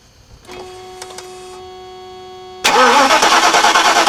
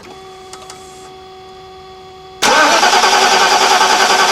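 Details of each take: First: 1991 Mercedes-Benz 420 SEL with a winter-worn 2007 group 49 battery, engine disabled so it only cranks. The starter turns slowly at about three beats per second and slows further as open-circuit voltage drops from 12.65 V toward 12 V, showing a weak battery. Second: 1991 Mercedes-Benz 420 SEL (W126), second extended cranking test on a new Deka AGM group 49 battery; strong, even cranking about 200 beats a minute with no slowing: normal cranking, far better than the old 2007 battery.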